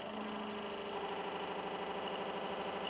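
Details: Boomerang Atom RC jet smoke pump running with oil flowing, which slows it compared with dry running: a steady high-pitched electric whine with an even buzz and no stumbling or surging; the owner feels it is right at its limit.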